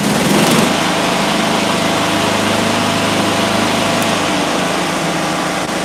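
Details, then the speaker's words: Small mower engine with ignition coil air gap at 0.050 in versus the recommended 0.010, blades engaged for load: steady, even drone, no stumbling or surging; running cleanly under load. "Wow. 50,000. Nothing. Still running like a champ."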